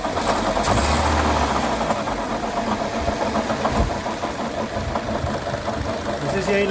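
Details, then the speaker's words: 2012 Chevrolet Sonic at idle: loose, irregular knocking at a few beats per second over the idle; points to a failing water pump. "Buenas tardes tenemos un cholo modelo 2012 tenemos un ruido extraño"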